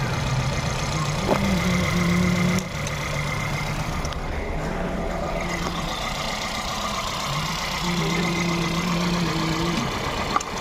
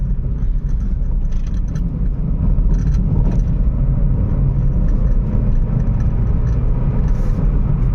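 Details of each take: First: Volkswagen Polo/Vento petrol engine idling roughly with an uneven, stumbling beat from cylinder 1 misfire (code P0301, EPC and engine lights); cylinder 1 injector gets no pulse though coil gets current. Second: Volkswagen Polo after repair (previously misfired at 60-70 km/h with engine and EPC lights, code P0301 cylinder 1 misfire): steady low engine and road rumble while driving, no stumbling or misfire.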